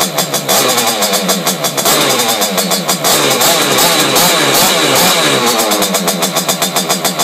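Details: Simonini two-stroke engine in Piaggio Ciao moped, internal rotor, decompression-lever head, 21 mm carb, Fabrizio exhaust, first run in frame: loud fast even buzz with crisp exhaust pulses, no misses or blow-by hiss. Normal running.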